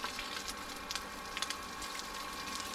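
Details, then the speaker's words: Newly installed booster pump on a Jojo water tank, after air bubble release: steady high hum with thin hiss of water flow, no stuttering or cutting out; running normally (earlier it kept tripping). "okay guys we're going to so we boled down the pump um we're going to turn it on and see what happens and we're hoping it all goes smoothly so let's give it a bash oh works it works it"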